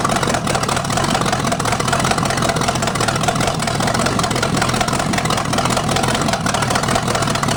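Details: 1973 Chevy 350 small-block with big cam and fuelie heads on open pipes: loud, even idle with a steady lope, no knocks or ticks; sounds healthy, though the oil pan leaks at the front.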